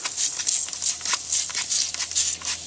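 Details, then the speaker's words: Lincoln Continental, believed 1986, rear air suspension sagging: a sharp hiss of escaping air rises and falls as the rear air bag is pressed, showing the air spring leaking; pressing changes the hiss by partly sealing it. "But the main leaks seems to be coming right from actually over here. You can hear it."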